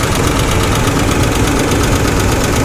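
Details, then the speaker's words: 1985 GMC Sierra engine at idle with the hood open: fast light ticking keeps pace with engine speed over the idle rumble. It is heard on the passenger side, where the owner suspects a lifter tap and a misfire on one of those cylinders. "I'm gonna pop this hood real quick, see how bad that tapping is. Sounds like a lifter tap. Yeah, that's a lifter tap, and it's coming from this side."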